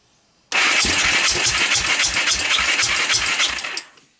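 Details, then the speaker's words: 1998 Honda TRX300EX, previous-owner rebuild, portable CDI box, air cleaner removed: steady cranking about three and a half chuffs a second, never fires; owner believes it's badly flooded. "so at this point this thing seems to be crazy flood it"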